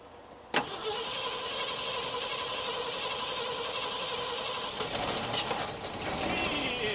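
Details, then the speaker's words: 1973 Ford F100 Ranger XLT, long-sitting engine on jumper cables with one plug wire missing; sluggish, weak cranking that catches briefly and stumbles. Owner suspects a worn-out starter; the engine is not locked up and the points are working. "yeah it turned for a second so yeah that starter's probably just about had it"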